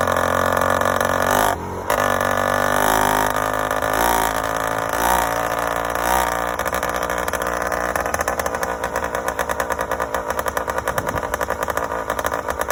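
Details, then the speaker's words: Yamaha YD100 two-stroke with a Dio reed valve and a 24mm OKO carburetor, idling with an uneven, burbling beat that skips firings. It is running rich and four-stroking; a main jet change is planned. "It definitely went faster and more responsive, but still four-stroking and way rich."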